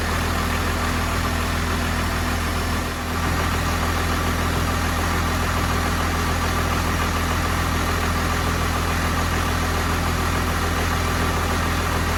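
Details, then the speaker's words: 1993 Cummins D350 chassis with 12-valve diesel and automatic, 1940 Chevy truck body, just fired up: steady even diesel rumble with constant low beat, no dips, idle noticeably high; fixed by backing off the idle screw and adjusting the rod. "see if I can adjust the idle screw on that's pretty high you know all right we're going to try to adjust the idle on it"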